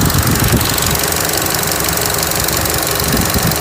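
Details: 2013 Chevy Cruze idling unevenly with a steady airy hiss from a vacuum leak at the failed PCV valve in the valve cover, logging MAP sensor and lean codes; remedied with a new valve cover.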